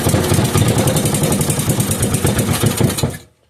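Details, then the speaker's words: 5 hp Briggs & Stratton single-cylinder with gear reduction, run briefly off a temporary fuel supply rather than its own tank: brisk, even putter for about three seconds then clean shutdown, no knocks, misses or smoke; healthy. "The engine wasn't running on its own fuel supply, but That sounded very healthy, and I didn't see any lick of smoke come out of that thing, so that's a good sign."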